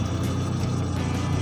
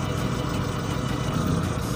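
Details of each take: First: Engine at normal idle before misfire testing: steady, even low throb with no stumbles or skips and very little vibration. Normal idle. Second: Four-cylinder engine, cylinder 4 lead pulled, idle unchanged, so cylinders 1 and 4 are faulty (plug or lead to be checked next): low, lumpy idle with uneven thumps and a missing beat, running on two cylinders. Misfire.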